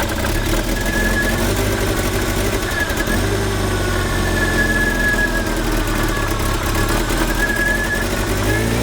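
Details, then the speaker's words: 1978 Triumph Spitfire 1500 small four-cylinder, revived after years parked, distributor still being adjusted and carb idle not yet set: rough idle with a loping, uneven beat, no clear knock; ignition timing likely still off. "but I just kind of want to just keep going with this distributor just a little more just to get it slightly smoother cuz that's rough that is rough"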